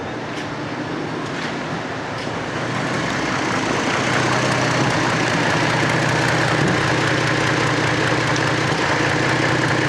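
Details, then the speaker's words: 2002 Chevrolet Trailblazer 4.2 L straight-six with an exhaust leak, idling near 550 rpm: low, lumpy idle with occasional stumbles, intermittent misfire on cylinders three and five; owner suspects the cylinder five injector. "Oh looks like cylinder threes got a misfire and cylinder fives got a misfire"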